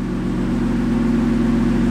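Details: 600hp 2018 BMW M3, 6-speed manual, on the lift after tightening a loose exhaust bolt: steady, even idle with a smooth low burble and no metallic rattle from underneath. Normal idle, rattle fixed.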